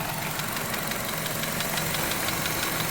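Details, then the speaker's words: Chevy Cruze at idle: a light, quick ticking rattle of roughly six per second over a steady idle hum. The mechanic suspects a weak oil control valve (unconfirmed) and notes an oil leak. "Not a big fan of that rattle. I mean, it could be from a weak oil control valve."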